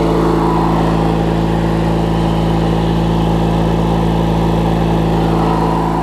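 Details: Craftsman LT1000 riding mower with a swapped-in opposed-twin engine, running after refueling and restarting; loud, steady, even twin-cylinder drone with no misses, knocks or surging; engine running smoothly, normal healthy running.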